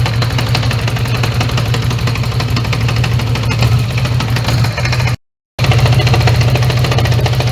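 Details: 1980 Honda GL1100 Gold Wing just after a carb sync on overhauled carbs, idle raised, not yet fully warm. A lumpy, uneven low thrum that doesn't run on all four all the time: misfire from unsynchronised carbs, improving once warmed up.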